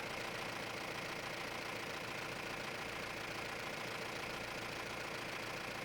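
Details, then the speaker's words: Mahindra Roxor turbo diesel after fitting Dirt Legal intake retaining bracket for overboost leak: steady even idle, low rumble, no hiss, misses or knocks; no leak found, sounds better than the earlier weird sound, owner suspects the leak caused. "It also sounds much better, I should say, because initially it wasn't. I don't know. It was just sounding weird, but now it sounds much better."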